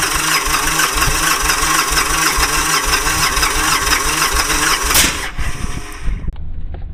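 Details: Victory Kingpin with spark plug wires installed in reverse, front to rear: battery strong at 1310 cranking amps and fuel priming with good pressure, yet the starter churns with uneven chuffs and never catches; crank, no start.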